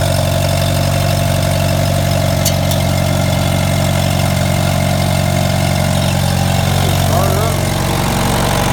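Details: Allis-Chalmers model B tractor, first start in a couple of years after oil change, cleaned points, spark plugs, cleaned fuel bowl and tank: steady, even low thrum settling into smooth idle with no misses or knocks.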